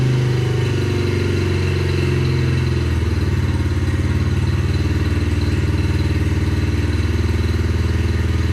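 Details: 2021 Yamaha TTR50, idle speed raised and mixture leaned slightly (believed to be running too rich): steady even single-cylinder idle, low thumping pulse, no misses or surging; now sounds good.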